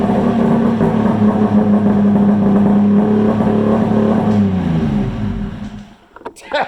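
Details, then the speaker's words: Polaris Ultra 680 triple two-stroke, break-in, with trash can exhaust: smooth, throaty burble holding a steady pitch, then winding down and shutting off; idling cleanly and healthy. "Sounds killer. Man, that thing's awesome. That thing does something sweet. Yeah, that's got a nice throat to it for sure. Absolutely a nice throaty sound to it."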